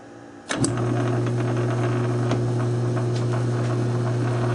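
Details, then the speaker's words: South Bend 9-inch lathe converted from Model B change gears to Model A quick-change gearbox, test thread cutting run slowly; spins up into smooth steady low hum with faint light ticking, gives correct thread pitch: normal running. "So Gearbox works out great. Hell of a lot easier than change gears."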